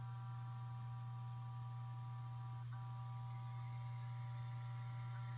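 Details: Seagate ST8000DM002 hard drive at idle: low, steady buzzing hum with faint higher tones, constant throughout, cause unclear.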